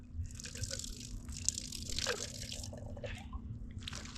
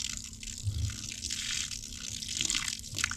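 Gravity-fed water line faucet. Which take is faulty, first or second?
first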